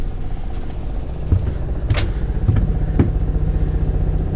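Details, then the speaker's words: 1997 Pace Arrow Vision 36B Class A motorhome, onboard generator running normally, heard from inside the coach: muffled steady low engine drone with occasional clatter, audible but acceptable. "Yeah, I can hear it pretty good. That's okay. Ain't the end of the world."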